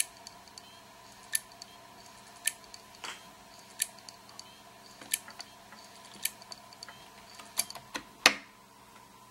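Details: WD Elements WD10JMVW external hard drive with the click of death: sharp, repeated clicks about every second over a faint steady hum. The drive never suffered any hit or shock and was never dropped.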